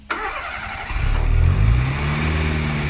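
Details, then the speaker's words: Fiat Uno Turbo ie, over 200 hp, first start after repair with timing belt marks aligned and valve shims set; quick crank catches, revs flare and settle into smooth idle, only injector noise, exhaust leak gone. "Juste le bruit des injecteurs, plus de fuite d'échappement. Ah, ça tourne ça."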